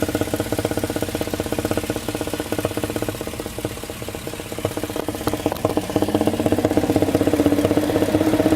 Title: '06 LM7 Vortec 5.3 Intake thumping noise, steady even when revving